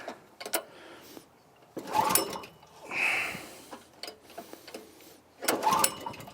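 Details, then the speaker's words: 1984 Troy-Bilt tiller repowered around 2011 with a 6.5 HP 212cc Predator engine, usually starts on first or second pull; gas and choke on, throttle opened up, recoil pulls spin it briefly with no firing, no apparent spark; no-start. "First pull. Second pull. Third pull. Doesn't sound like it's going to start. Ah, that's not usual. Usually the first or second pull it will start. Doesn't sound like it's getting spark or anything."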